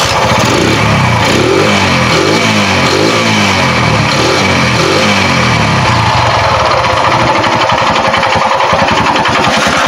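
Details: Kawasaki CT100 that had spark but would not start, after refitting the carburetor: single cylinder fires up, revs briefly, then settles into an even, steady putter; starts and runs normally.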